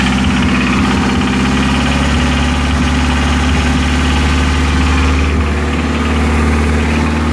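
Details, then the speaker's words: Nissan 240SX engine: steady idle with a heavy low bottom-end knock appearing as the throttle is blipped, loud underneath; rod knock suspected (possible bearing material seen), alternatively timing chain slap, unconfirmed. "i don't know i still say it's a rod baron it's pretty loud down there"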